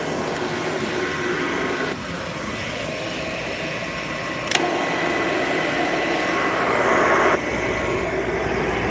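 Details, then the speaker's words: Upright vacuum motor running with a rough, rushing hiss and faint whining tones; owner suspects worn motor bearings needing bearing work, possibly repacking grease. "This thing needs bearing work though, if you can hear that."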